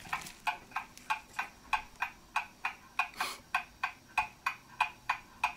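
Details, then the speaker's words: German mantle clock after service, beat amplifier on: crisp, evenly spaced tick-tock, about three beats a second with equal gaps; movement running properly and in beat, going to a test stand for 4-5 days. "movement is running properly now and it's in beat as you can hear"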